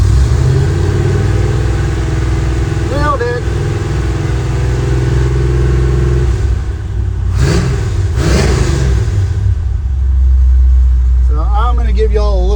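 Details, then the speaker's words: Chevrolet C10 with a Holley Sniper EFI that was misfiring and backfiring, fixed by correcting distributor timing: steady, even idle, then two clean throttle blips that rise and fall with no stumble or miss; normal revving. "Give it a little crank. Good to go. So, yeah, that fixed it."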